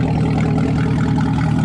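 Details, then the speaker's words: Chevrolet Camaro ZL1 V8 idling smoothly with a deep, even rumble, no misfire, tick or stumble, after a damaged spark plug was replaced; oil change planned to find the cause. "everything is running fine but we got to do one more thing before we wrap this video up"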